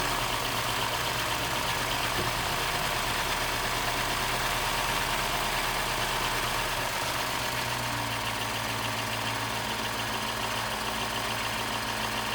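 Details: 2015 Mini Cooper S rebuild, first run: idle sags from about 1,000 rpm to about 750–800 and stays unsteady, a hunting idle from air getting in; induction hose found unplugged.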